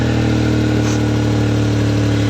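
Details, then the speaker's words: 2003/04 Daewoo Matiz (Chevrolet Spark) idling before the muffler tape repair: a steady, loud, raspy idle with a deep throbbing drone. Holes are blown through the muffler and old flex tape; owner suspects overheating from a failed water pump. "yeah it definitely should not sound like that"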